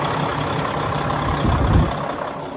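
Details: 2016 Freightliner Cascadia Evolution, DD15 diesel, heard outside at the engine; low steady idle rumble with a brief swell mid-clip, no knocks or rattles; running normally.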